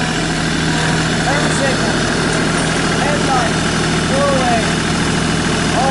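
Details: 2017 New Holland Boomer 24 compact tractor, 24 hp 1.3 L Mitsubishi 3-cylinder diesel, 329 hours, freshly serviced: a smooth, steady diesel note with no knocks, ticks or misses, and some outdoor chatter in the background. Normal running.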